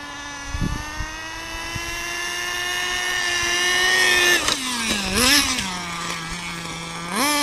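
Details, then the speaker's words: Nitro RC car "Stink Bug" after rebuild, cold start at about 40–45°F: high buzzing revs rising and dipping with throttle, soft and blubbery on pickup; running a little rich while warming up in the cold. "It is really cold this morning, so we got to warm her up a little bit. Running a little rich just because it's really cold. It's like 40 degrees out, 45 out."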